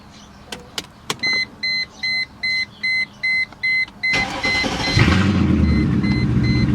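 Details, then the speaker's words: 1999 Mercedes E55 AMG after fitting a junkyard coil pack on cylinder 4 to cure a misfire: about eight chime beeps, then it cranks, catches and settles to an even idle with no stumble; no longer feels like it is misfiring. "So it doesn't feel like it's misfiring and reversing out. And that was the main thing."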